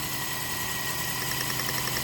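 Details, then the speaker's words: 2001 Toyota Echo 1.5L 1NZ-FE with 283,385 miles, which lacks power and shakes; it idles with an uneven, lumpy beat because one known cylinder is not firing, as shown by a power balance or cylinder kill test. "Technician K, please start the engine. Okay. So, this is the cylinder that is not firing. We already know that."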